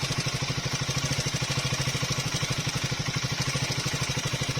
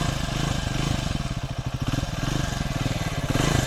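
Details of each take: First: Triumph Speed 400 at about 6,000–6,500 km, before repair: light steady tick-tick roughly three a second over the idle; valve tappet noise from shim clearance issue. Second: Triumph Speed 400 that developed engine ticking around 6,000–6,500 km, after a shim (tappet) adjustment: even, steady firing that rises and falls smoothly with the throttle, with no ticking. Normal revving after the repair.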